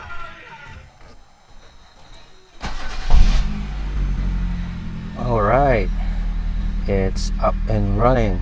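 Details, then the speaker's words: 2004-2007 first-gen Kia Picanto after replacing cracked old spark plug wire: catches after short crank, steady even idle, no misfire or vibration; normal idle. "sounds good to me everything since we're working fine [Music] so there are no misfire um no vibration or anything everything looks good and it's working"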